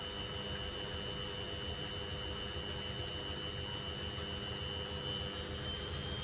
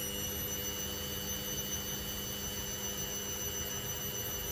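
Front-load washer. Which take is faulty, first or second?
second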